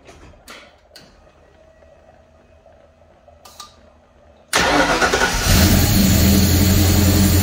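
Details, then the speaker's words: Car idling with a deliberately introduced intake vacuum leak, before smoke-machine testing: engine fires and idles with a loud hissing rush of air over the beat. "I'm going to start the motor up and probably is not going to want to run very well with the vacuum leak that we've introduced"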